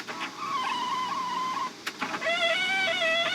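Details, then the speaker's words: Hyundai LF Sonata 2.0 turbo at 6,500 km, power-folding side mirror: a high, wavering squeal over the motor whir as it folds, then a higher squeak on return; a known chronic LF Sonata mirror creak, the worst the host has heard. "차주님 요거 또한 LF 소나타의 중요한 고질병 중에 하나잖아요. 사이드미러 접었다 폈을 때 끼기 소리 나는 거 차주님도 당첨인가요?"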